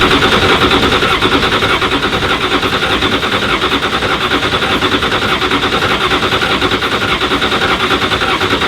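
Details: 2017 Ford GT, 3.5-liter V6 EcoBoost (600 hp); fast, even starter cranking repeatedly without ever catching, a crank-no-start that the mechanic attributed to something with the spark plugs.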